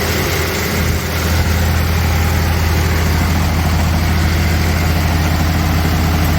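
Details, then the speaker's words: 1992 Toyota pickup, freshly rebuilt 3VZ 3.0 V6 on break-in oil, first startup, held at 2,000 rpm for 20-minute break-in: steady smooth raised idle, no knocks or misses, gauges showing no overheating; healthy. "all right just checking to make sure everything's running good and then I don't have anything major going on"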